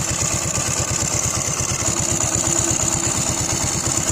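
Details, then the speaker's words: Hero motorcycle: a dry metallic rattle rides each firing beat at idle, disappears when revved and returns as the throttle drops. It is often mistaken for timing chain noise; the cause is a loose flywheel magnet. "आप कैसे ही race दे दी तो बात खत्म हो गई है दोस्तों जैसे ही रेस कम कर रहा है तुरंत आवाज आने ग गई"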